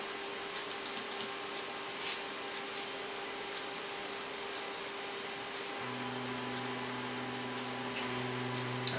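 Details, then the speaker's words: Y-axis platen stepper motor, smaller than the carriage motor, in an Epson LQ2070 dot-matrix printer converted to a vinyl cutter, stepping back and forth; faint steady whine shifting to a lower buzz, no vibration, running smoothly. "this motor is a lot smaller than the carriage motor and it doesn't seem to vibrate as badly at 500 hertz in fact it doesn't vibrate at all"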